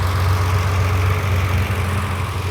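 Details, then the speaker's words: Ferrari 330 GTC carbureted V12 after idle mixture adjustment and synchronizing carburettors with adjusting screws, idle speed lowered evenly: smooth even low idle with steady deep hum, no misses or knocks; normal idle. "there we are perfectly tuned Ferrari V12 no electronics just synchronization with adjusting screws"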